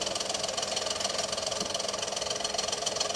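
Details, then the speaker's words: Monarch record player in a c1960 Kriesler 11-79 radiogram during repair: a steady rumbling flutter of three or four pulses a second with a faint hiss; loose wires under the headshell scrape the record, and the idler or motor is suspected of the noise. "i'm making quite a bit of mechanical noise there something might be scraping on something"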